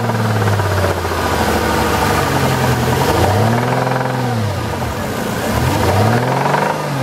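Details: 2000 Jaguar XK8 engine bought on eBay, seller says the noise is normal but owner doubts it: idling then revving, with an uneven extra clatter riding on top; source unknown, abnormal engine noise.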